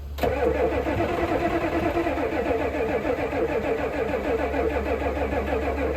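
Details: 1988 Ford F350 7.3 IDI diesel, sitting since the 1990s, cranked on starting fluid: steady, fast, even starter cranking that never catches. Fuel is in the filter but none reaches the opened injector line fitting through the injection pump.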